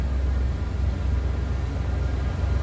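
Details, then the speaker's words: 1971 Cadillac Coupe Deville, 472 V8, complete exhaust, heard from the rear at the tailpipe: deep, steady, even idle rumble with no misses or ticks; healthy and sounds as expected. "472 V8 power in this one. Sounds as you'd expect."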